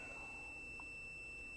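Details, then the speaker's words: Multimeter in ohms/continuity mode on a dead circuit, wire cut to a single strand: steady continuous tone showing continuity from point A to B despite the nearly cut wire. "Now, the circuit is dead, so there's no electricity on it right now, but let's check for continuity between point A and point B."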